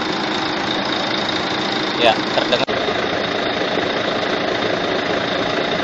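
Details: Volvo truck diesel idling with the cab raised, complaint of noise at the front of the engine: a constant thin high-pitched whine rides over the steady idle, persisting as the engine winds down. Cause is a seized fan hub bearing needing replacement.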